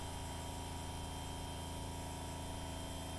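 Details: 1979 Porsche 924, engine off, electric fuel pump hot-wired directly to the battery for warm-up regulator pressure check: steady, even electric hum with constant low drone, no surging; pump running normally.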